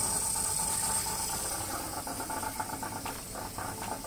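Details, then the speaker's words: Caravan water pump under the floor at low flow: buzzy, uneven rattle as the pump vibrates against its metal housing; owner plans to dampen the vibration. "pump's under the floor a bit there you can hear it just at low flow you get a fair bit of vibration"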